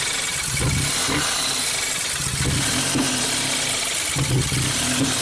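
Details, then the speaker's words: 2017 Ford Focus after owner's used dual-clutch transmission and new clutch swap, DTCs cleared, no throttle input. Uneven lumpy idle with irregular pops and chuffs, backfiring and not holding idle; cause not found. "Big backfiring, yeah? We'll see. So that helped. We got some codes. It's definitely not happy."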